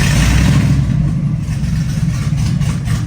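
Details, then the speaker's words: Rock buggy on a lift, with essentially no exhaust before the new y-pipe/catalytic converter goes on: a deep, raw, unmuffled booming roar that swells as it is revved. "basically doesn't have an exhaust on it right now"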